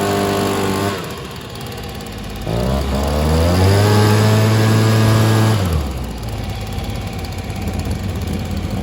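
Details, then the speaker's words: Stihl SH 55 two-stroke handheld blower/vac, started on choke: climbs to a steady high buzz for about three seconds then drops to idle; revs seem capped, carb needs adjusting. "does sound like it's uh there's a bit more to give in terms of the throttle so just one second here"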